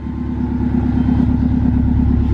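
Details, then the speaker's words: Subaru Legacy GT just after an engine reinstall, steaming slightly from spilled coolant, with a loose AC belt suspected of making a noise: steady, smooth low idle with an even pulse and no knocks or ticks. Normal idle. "i think it's running good i think we're gonna be all right well guys she's turned like a kitten"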